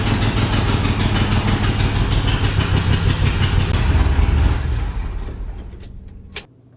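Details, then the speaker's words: 1972 International 1110 truck after new needle and seat in the rebuilt carburetor: engine chugs at a low uneven beat for a few seconds then dies; owner suspects a leaking power valve, not confirmed. "The power valve could also be leaking. Could be why that we couldn't keep it running."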